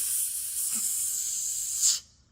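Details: 2004 Pontiac Grand Am at idle warming up: steady high-pitched hiss from behind the dash, an interior vacuum leak found with a smoke machine.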